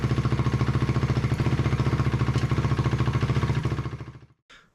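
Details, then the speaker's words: 2004 Honda CRF250R before tuning: quick regular single-cylinder firing, crisp and even, no misfires or knocks; runs much better though later judged still too lean, needing bigger main jet. "sounds much better before we do any tuning let's get the back end back on"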